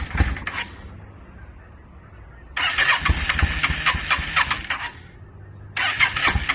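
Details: 2002 Yamaha V-Star 650, newly bought, possibly needing a full tune-up, on choke, rusty gas tank; repeated starter bursts with ragged uneven firing that won't settle into a steady run. Hard starting, owner suspects flooding.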